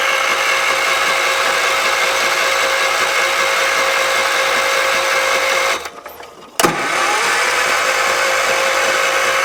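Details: 1978 Wheel Horse C-121 garden tractor on jump box: steady fast starter cranking with a brief pause, never catches; power reaches the coil but no spark output, cause unknown.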